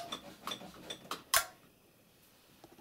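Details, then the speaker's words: LG 42LC2DB TV that previously wouldn't power on and only clicked repeatedly: after repair, light ticking then a single sharp relay click as it powers up, with no repeated cycling, and it turns on. "hell can you see we're not getting click-click we're getting one click"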